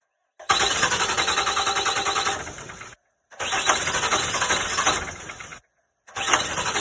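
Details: 2007 Ram 3500 5.9L Cummins 24V with new injectors and injection pump: three long cranking bursts at a fast, even starter rhythm with no catch. Scan tool shows only 1200 psi rail pressure while cranking versus 5000 needed; bad lift pump.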